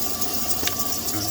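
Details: Idle with only a soft, even whir and no chirp or squeal after belt dressing was sprayed on the squeaky drive belts of a Silverado; the belt drive now sounds quiet and healthy.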